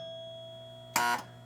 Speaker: hear the chime that's it nothing else happens so what's the problem okay so here's the problem this little paper wedge right here was blacking that on her point switch open on the player unit